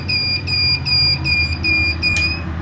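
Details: 1000 W pure-sine-wave inverter (test no. 9) trying to start a 1/2 hp motor pump: shrill two-tone beep about 2.5 per second over low motor hum; inverter overload alarm, failed start.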